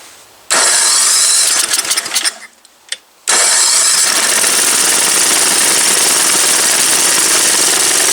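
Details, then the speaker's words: Old MTD Yard Machine snow blower after carburetor work: the small engine fires, sputters and dies after two seconds, then restarts to a loud, steady buzz. The carburetor is still not right, possibly a vacuum leak; it will not run well without choke. "That's weird. Heat. Heat. It is not enjoying life right now. That's for damn. So, um, something's still not right with this carburetor. Could be a vacuum leak."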